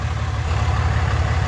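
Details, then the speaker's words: Cummins diesel truck idling in neutral with e-brake on, before an ATF check and service: deep, even clatter, steady and smooth with no misses or knocks; a healthy idle. "Listen to that baby purr. Can't beat the sound of a Cummins. Just can't."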